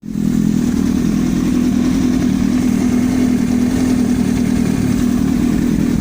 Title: Yamaha R1 стук двигателя